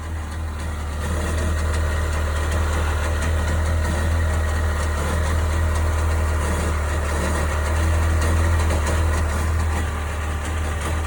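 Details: 1998 Sea-Doo GS 720 two-stroke personal watercraft at idle: low heavy drone with an uneven pulsing beat about four times a second; owner asking what the strange noise is, cause unknown.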